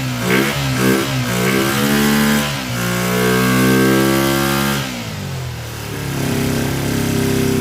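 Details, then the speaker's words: Kawasaki Ninja twin after a fuel splitter install, flooding on startup: revs rise and sag unevenly, pitch wandering, never settling into a clean idle. Rough running, with the carburetors suspected as the main issue. "Well, it runs. Definitely doesn't run the best. Those carburetors, I think, are the biggest issue right now."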